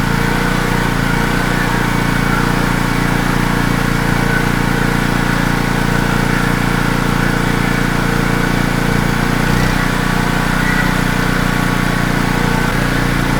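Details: Wacker Neuson GP2500 2500W generator, Honda GX160 engine, hard to start, reportedly ran only on starting fluid: uneven, slightly hunting idle drone, keeps running only on partial choke; lean fuel supply suspected, not confirmed.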